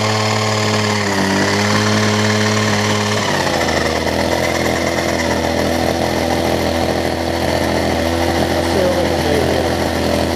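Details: Older Homelite two-stroke hedge trimmer with new fuel lines and primer bulb, during carb tuning of the low- and high-speed screws by trial: steady buzz whose pitch drops and settles after adjustment; uneven running, cause suspected, not confirmed.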